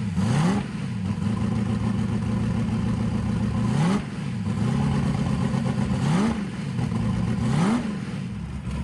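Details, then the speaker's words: Carbureted engine in an S10 after fuel system rework, before dyno: idle holds steady but each throttle blip is soft and sluggish before revs climb; carburetor jets way too big, running rich. "the engine fires right up sits there and idles okay but i can tell when i tip the throttle blades open the jets are way too big the engine's extremely"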